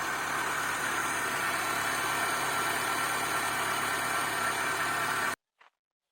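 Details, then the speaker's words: Opel Astra F 1.6 C16SE after water pump replacement: smooth even idle with steady hum, no more grinding or creaking from the old water pump, then engine shut off; sounds healthy. "çok şükür bir sıkıntı görünmüyor arkadaşlar Allah'ımıza şükürler olsun arabamız çalışıyor"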